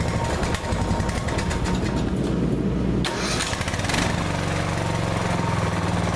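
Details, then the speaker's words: Older Briggs & Stratton 16hp OHV single-cylinder engine after a valve clearance adjustment for noisy valves: a quick catch on the crank, then a steady, even thrum with no valve ticking. The engine runs cleanly and quietly. "runs great now I'm going to shut it up and I'm going to start it back up and show you how simple it turns over"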